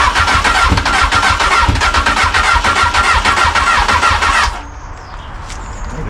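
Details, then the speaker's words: Crash-damaged Honda Hornet motorcycle being started, fuel tank tap turned off first: weak, even cranking at about three and a half turns a second with no firing, then it dies as the battery runs out of charge. "way power oh no R out of [Applause] charge spark see the fuel pump in there not enough [Applause] power"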